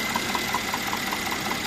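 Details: Mercedes-Benz E400, M276 3.0 biturbo, 333 hp, at idle; a steady quick tick about five per second. Traces of leakage on two spark plugs under 2,000 km old, with no mechanical play found, point to leaking spark plugs.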